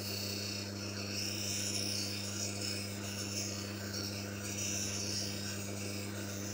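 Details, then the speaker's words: Manual lens faceting machine: steady motor hum under an even, gritty rasp as the lens edge is held steady against the spinning stone, following its rotation, for a smooth consistent V-bevel; normal bevel grinding. "Saat melakukan pemotongan miring, kita harus tetap tenang. Tangan kita harus konsisten dan tidak bergerak ke samping. Ikuti saja arah putaran batu gerinda atau batu miring."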